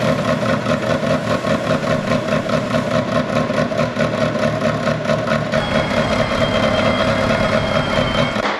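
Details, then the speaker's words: Ferrari 360 Challenge Stradale Spider V8, first fire-up after rebuild, not smoothing out after 30 seconds to a minute: choppy idle with irregular popping about twice a second; one bank's exhaust popping and spluttering, cause suspected, not confirmed. "it sounds like it's this side of the engine that is causing the problem when you feel the exhausts one side seems to be okay and this one really seems to be popping and spluttering"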